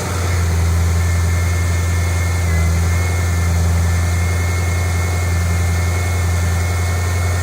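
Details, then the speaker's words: 2008 Mustang GT V8 first cold start after oil change to synthetic Pennzoil Platinum with new filter: deep, even burble at steady fast cold idle, no ticks or knocks; normal cold idle. "we're gonna do its first cold start we'll see how it sounds now understand that the first second or two that it runs it has to move the oil around so it will likely make a little bit of noise but it'll quiet out"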